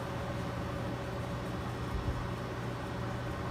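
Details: 1960s Penncrest (Lakewood) 14-inch box fan with GE motor, on low speed: smooth, even low hum with a faint steady continuous tone, no knocks or scraping; normal running.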